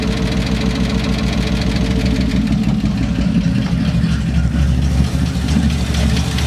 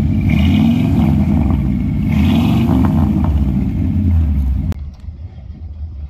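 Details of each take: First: 1972 Ford F100, unrun over 10 years, just started after tapping the carburetor and squirting fuel in: lumpy, uneven V8 idle with stumbling low pulses; rough running from a gummed-up, poorly metering carburetor. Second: 1972 Ford F100 after 12+ years idle, now running after the junk carburetor was replaced and fuel lines cleaned: deep, steady V8 rumble with throttle swells, even firing, no knocks; normal running.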